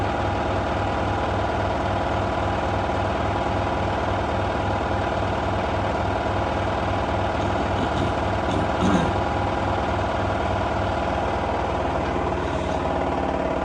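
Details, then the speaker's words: LG F1222TD washing machine at full-speed final spin: steady high drone with a fast, even pulsing rattle from a loose clasp shaking against the washer, owner planning to remove it. "I was going to remove that clasp off this today so I ain't got to listen to that rattle anymore"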